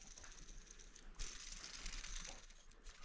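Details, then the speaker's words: Removed idler pulley from a 2012 RAM 2500 (or 1500) 5.7 L V8, spun by hand: a dry gritty rattle and a wobbly bearing as it coasts down. The idler pulley bearing is worn and loose. "but if I spin it it's got some rattles has a little bit of wobbliness in the bearing as well"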